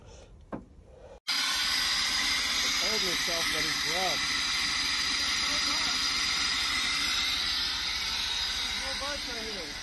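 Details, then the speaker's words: Freshly built Jeep XJ 4.0L inline-six, first startup after priming fuel rail: engine catches and runs loud and uneven, lumpy stumbling beat under a hiss; missing badly, injectors suspected, not confirmed; gauges not communicating. "it's missing really bad but yeah oh the gauges don't have communication it's trying to clean out that injector there it goes"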